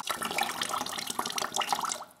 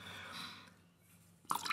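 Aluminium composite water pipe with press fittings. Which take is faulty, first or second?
second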